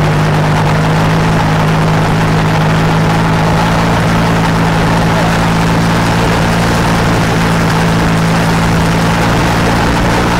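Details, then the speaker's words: Rotax 503 two-stroke engine on a Challenger 2 ultralight, revved high then throttled down: rough rattle at low rpm, the "death rattle" from four-stroking, internal to the engine rather than the belt re-drive, hard on the engine. "what we're listening to is commonly referred to as the death rattle it's not associated with the belt drive but is internal to the engine it will occur with a Gear Drive as well it is hard on the engine"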